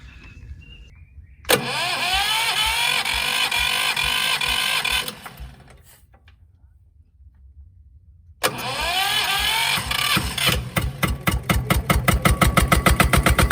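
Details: Sykes GP80 water pump with Lister TR1 single-cylinder diesel engine, exhaust piped into a catch can, after starter repair: starter churns, engine fires, stops, then restarts and settles into a steady even diesel beat; healthy running.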